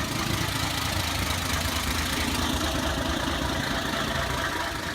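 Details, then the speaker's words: 1984 Ford 300 inline-six just converted to Duraspark II (1982 5.0 harness, new Duralast distributor, coil, plugs, timing 8° BTDC): steady idle with a faint dull knock in the exhaust note; owner suspects spark knock or pre-ignition, unsure. "The problem is that she sounds like she has spark knock or some sort of pre-ignition. I'm not sure."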